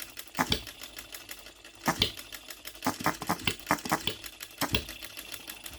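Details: OKMO Retrol B02 miniature petrol hit-and-miss engine on shellite, very first start, straight out of the box with no adjustments: sharp firing pops every second or so with light ticking while coasting; cycling normally, healthy.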